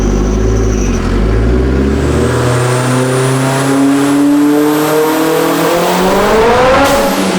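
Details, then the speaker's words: Turbocharged Acura RSX Type S on dyno, spark plug gap cut to about half of OEM: smooth, steady full-throttle climb with no popping or breakup; clean pull, but boost hit 25 lb, too high, so the wastegate spring needs changing. "and so that last pull super clean but it hit 25 lb and I said that is way too much we don't want that as the base spring pressure"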